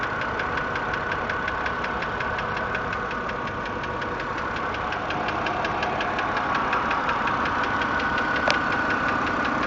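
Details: 2008 BMW 328 (E90) petrol, cold start after being parked outside for 24 hours: a steady, fast ticking knock rides over the idling engine.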